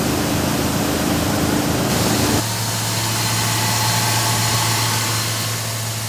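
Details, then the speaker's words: Old Jeep cold-started at about 20 °F after fuel was poured in and the system primed, with the gas gauge not working: after the start-up roar, a steady, even low idle with no misses, knocks or ticks. The engine sounds good. "you hear the engine sounds good though it's cold today too it's about 20°"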